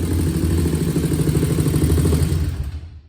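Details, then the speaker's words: 2001 Honda TRX400 single-cylinder, stock exhaust: a steady, even idle thump with no ticking or clatter, then it winds down. A small tick had been reported after a valve adjustment to spec; it now sounds nice and healthy. "Y'all see the bike sound nice and healthy. Got a nice idle on it."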